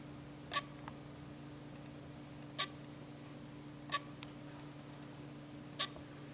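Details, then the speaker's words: Canon EF 100mm f/2.8L Macro IS USM lens, shutter half-pressed in a quiet room: brief sharp electromechanical buzzing clicks as image stabilization engages and releases. This is normal for this lens; the IS whir itself is nearly silent. "what I think people will notice is that kind of um electromechanical buzzing noise uh for when the is activates and deactivates"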